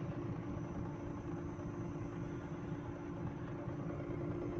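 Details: Renault Triber with 1000cc three-cylinder Energy petrol engine at normal idle: a steady, even low rumble with no knocks or misses, running smoothly with only its usual slight shake.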